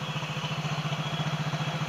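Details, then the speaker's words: Yamaha Mio J scooter engine, previously rough with a conrod-like knock, now idles with a steady, even low pulse and no knocking; sounds normal. "Ya udah keren Bro suaranya udah keren udah kayak suara motor"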